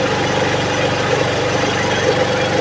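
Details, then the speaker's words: Suzuki Hayate 125 fuel-injected motorcycle that would not start or kept stalling, now running after opening the throttle: a single-cylinder idling slow and steady with a low, even thump, a low idle speed. "So mababa lang ung kanyang ng Menor ngayon dahil umaandar na siya"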